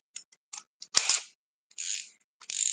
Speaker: look it's GNA stop you can hear it clicking clicking clicking it just stopped it it just stops dude